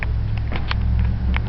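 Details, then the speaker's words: Sheeter's 208 V single-phase motor (6.3 A) running correctly; steady low hum with sharp snaps as contactor engages and the louder motor start switch clicks, pausing as it lets go; normal operation. "you'll hear a snap there, and that's the actual start switch in the motor and the contactors, but the motor start switch is actually louder than the contactor is."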